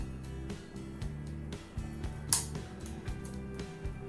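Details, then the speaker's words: Chinese floor fan switched on at first speed: steady low buzzing hum with light clicks, blade not turning; turns when spun by hand, so owner attributes it to clogging needing disassembly and cleaning. "Он издает как бы звук, как жужжание, и не крутится."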